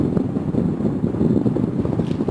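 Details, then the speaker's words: Honeywell tower fan, discarded as not working, after being opened, cleaned and lubricated: running at full speed with an even, constant whoosh of air and the squirrel cage turning freely, no rubbing, clicking or wobble; sounds healthy. "It's going full blast."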